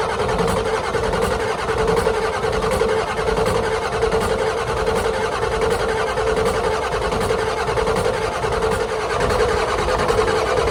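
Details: 1991 Ford F350 IDI diesel with leaking injector return lines, fuel solenoid on and out of gear: a steady starter churn at roughly eighty compressions a minute with no catch. A long crank, no start.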